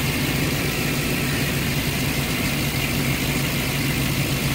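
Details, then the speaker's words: 2009 Ford E-350 with 5.4 V8 showing high idle rpm, occasional stalling while driving and no codes: fast, lumpy, shaking idle from a throttle body problem. "al parecer está trabajado son motores como les digo tiembla entonces te voy a chequear a ver que lo que está pasando"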